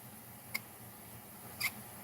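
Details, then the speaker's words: RC DB Pro drivetrain turned by hand, never before cleaned or maintained: two short, high-pitched squeaks from dry, worn bearings; pinion gear possibly shark-finned from abuse. "Oh, that's horrible. You know what? I can't let that go. I gotta do something about that."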